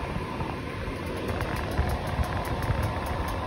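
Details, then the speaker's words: 1982 Layton travel trailer's DuoTherm 65017-64 RV furnace starting on a mechanical thermostat after a fix for intermittent ignition failure in freezing weather; steady blower rumble, burner lit, faint ticks of metal heating up, so startup is normal. "we've got action that burner is going good and you hear that telltale little when you hear that little creaking noise that's the metal heating up you're in business you're good to go"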